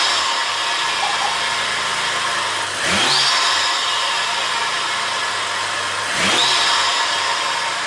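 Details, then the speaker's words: 2011 BMW E92/E93 N55, first startup after installing a Burger Motorsports bolt-on intake: quick flare on catching, then a steady, even idle with a second blip; normal cold start and idle. "Holy shit, that sounded fucking sick!"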